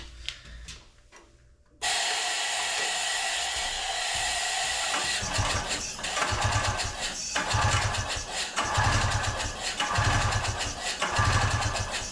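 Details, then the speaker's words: 1982 Honda Odyssey FL250, engine freed after being stuck and full of water, spark plug out, compressed air fed into the crankcase vacuum port: the engine is cranked in uneven surging pulses with a wet sputtery chuff as water sprays out; water in the crankcase. "Still having water spray out of this thing. Yeah, that crank case is just loaded with water."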